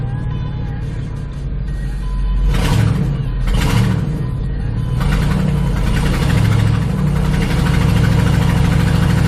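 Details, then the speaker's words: Ford F-150 5.4L 2V V8, in gear under load after an aftermarket ignition coil replaced cylinder 7's coil (P0307 misfire under load): deep, even drone as throttle comes in, no stumble. Scan tool power balance flat, no misfire. "now we're perfectly flat all the way across no misfires in number seven"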